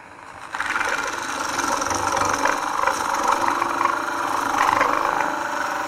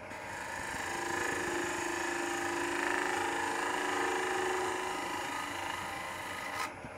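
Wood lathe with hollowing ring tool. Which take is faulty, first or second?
first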